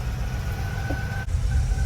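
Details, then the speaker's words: 1987 Vanagon, 250,000+ miles, after new belts and GoWesty alternator bracket fixed earlier belt squeal: even low engine rumble at steady idle with no chirp or squeal; belts running quiet. "All right, start it up. Hopefully we don't have squealing like we had the last time. Ah, very nice."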